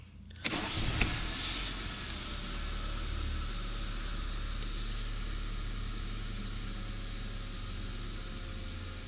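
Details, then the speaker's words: Aged Toyota (Corolla/Camry) after cleaning a jammed IAC valve that had let idle run away high when warm: engine catches and settles to steady idle with no hunting; idle control working perfectly, responding to headlights, power steering, AC. "Okay, we've got very fine control. It's working perfectly."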